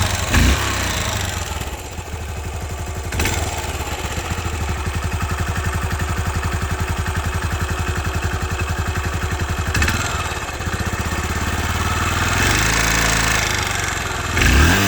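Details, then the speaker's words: Yamaha SR400 kickstart-only single, started first kick: big thumping steady idle, then crisp blips rising and dropping cleanly with no missing beats; engine healthy. "I really don't like revving my bike like that I usually don't do that but I'm just doing it for the video"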